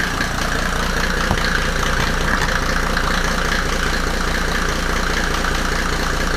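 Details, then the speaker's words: W124 with OM606 turbo diesel just after first start, no intake manifold fitted: steady, even diesel idle with no extra knock or nailing. The owner had feared the timing was off; the engine is settled and running fine. "but everything seems to be fine now and yeah it uh revved um i was worried about the timing that it was off but um so far i didn't hear any nailing"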